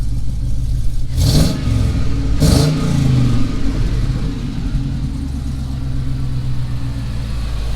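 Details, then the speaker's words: 1954 Chevrolet patina car, bought after sitting under a tree. Quick crank, catches first time without pumping gas, two clean rev blips, then smooth steady idle; healthy engine. "First time, no pumping the gas. Just absolutely incredible."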